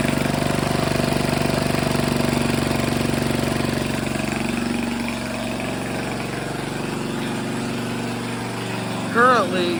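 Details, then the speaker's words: Grandfather's 1978 3hp Briggs and Stratton compressor after pulley repair and tune-up, running unloaded with pressure released and no pressure in tank, choke slightly eased: steady, even single-cylinder beat about four pulses a second, no misses, knocks or rattles; runs beautifully. "you could see no pressure uh built up in the tank uh but you can hear it runs beautiful"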